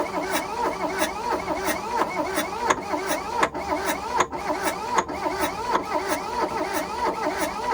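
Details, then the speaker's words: 1982 VW Rabbit diesel pickup (Caddy), sat 20 years: starter churns in an even labored rhythm without catching; owner suspects jumped timing belt bent valves, and black oil then leaked from the oil filter; crank no-start. "i don't know if i can say it's trying to start obviously it was parked for a reason probably jump time bent the valves"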